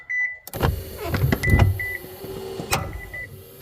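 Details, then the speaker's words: 2015 Subaru Outback power liftgate opening: motor hums as it rises with sharp irregular clicks and knocks over warning beeps; the hatch stops partway and closes again automatically; the sprocket area or the prop rod/motor is suspected. "watch on this area right here this sprocket area that's where the sound I'm guessing is coming from"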